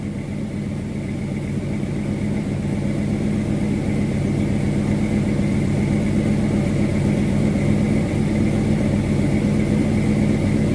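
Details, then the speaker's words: 1979 Dodge Little Red Express with a new engine, first test drive, not fully tuned, AC on, about 185 degrees and 50 psi oil pressure at hot idle. A faint quick puffing tick rides the exhaust note from a leak at the head: exhaust leak. "You can hear a little bit of our exhaust leak over here."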